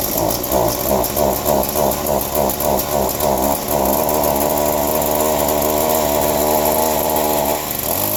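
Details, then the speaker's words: Chainsaw cold-started after sitting: sputters and surges unevenly about three times a second, then settles to a steady high buzz; rough running, owner suspects carb needs work from sitting. "good enough we probably need some carb work down to it I bet for it sitting now"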